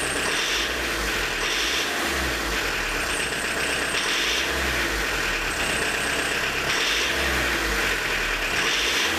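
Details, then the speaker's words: Diesel with Lucas DPC pump, injection timing 0.5 mm advanced: hard, rattling clatter with sharp metallic edge, runs like a tractor; blackish smoke and reduced pull, revs barely reach 3 versus 3.5–4 at TDC setting — advanced injection timing. "Ну сейчас вот посмотрите, как оно будет жестко работать. Видите, как трактор работает."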